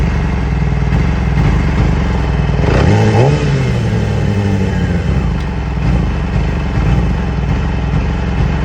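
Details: 2008 Yamaha R6: a quick rev blip, then an idle that wavers and stumbles unevenly; new ignition coils and spark plugs have been ordered, cause not confirmed.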